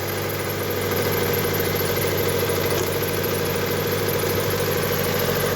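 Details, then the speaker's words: Mitsubishi Outlander 2010, 2.0 L 4B11 engine, odometer 207k (possibly rolled back), high oil consumption, idling not hot; rough rumbling idle with loose clattering knock (suspected cylinder 4 wear/scoring) and a whistling pulley; EGR found detached. "Что за шум Что за грохот вот так вот шумит"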